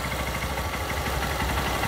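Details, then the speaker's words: Honda Titan 150 single-cylinder motorcycle with tank removed, running only on gasoline vapor from a bottle as a test: quick, even, steady putter at idle; it dies when throttle is opened; idle on fuel vapor. "é simplesmente aí não tem tanque nenhum aqui ó a moto tá funcionando direitinho Olha aí só que na hora que acelera ela morre porque aqui é só um teste"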